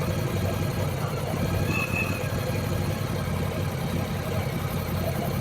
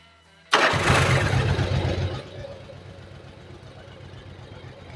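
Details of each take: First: Yamaha Virago 1100 V-twin, warm, during valve adjustment and carburettor synchronisation with the air filter off: uneven loping idle with the odd sharp pop from the open carb intakes. Idle is then lowered. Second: Yamaha Virago 1100 V-twin after valve adjustment and carburettor synchronisation, tester on the rear cylinder showing a good blue colour (front already perfect): starter catches, steady even idle with no misses or stumble; fuelling sounds right.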